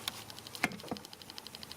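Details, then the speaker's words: Bedini 2A12 EX pulse charger (2.5 A at 12 V) pushing a 12 V train battery to 14.92 V gives fast, light, evenly spaced clicks about eight a second, the normal capacitor discharge, about twice as fast as the older charger. "Got a little clicking. That's how fast the cap is discharging, which is twice as fast, or maybe even a little bit more than twice as fast than the old charger"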